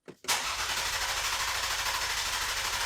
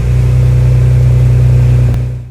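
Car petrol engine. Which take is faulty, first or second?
first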